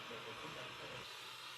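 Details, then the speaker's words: Bang & Olufsen BeoCenter 5000 under restoration, tone board refitted, tuned with AM antenna input; faint hiss and static with a barely discernible station buried in noise: very poor AM reception. "Very difficult to discern but there is audio. There is something coming out of here. Okay. We've chosen AM. Very, very poor reception."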